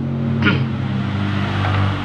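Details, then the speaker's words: Honda Grand motorcycle, smoking heavily, found with no engine oil at all. A short rev gives a rough, harsh mechanical rattle under the exhaust. The mechanic judges almost every part is affected by oil starvation, with the connecting rod certainly damaged. "Terus analisa saya, kalau dilihat dari suaranya tadi, itu hampir semua bagian terdampak dari habisnya oli. Stang piston itu sudah dipastikan kena."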